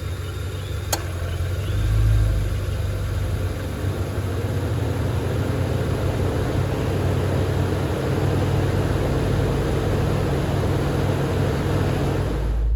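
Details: MG ZT/Rover 75 at steady low idle, A/C switched on via econ button so the radiator cooling fan kicks in: an even airy whoosh over the idle, no rattles or scraping; normal fan operation (silence would suggest faulty fan or fan resistor).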